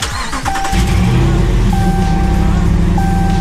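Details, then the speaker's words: Dodge Ram Hemi V8 after hitting a big puddle, day two, rough idle and power loss, no codes: loud uneven lumpy idle, louder than before; rough running, cause not yet found. "hear how loud it is too? Yeah. Like it wasn't that loud before. But there's no codes."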